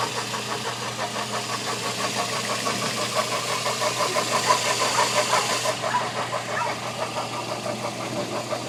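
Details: Toyota Echo 1.3 VVT-i petrol engine idling with a quick, fairly regular ticking of about three per second over a quiet hum; mystery noise, cause unknown.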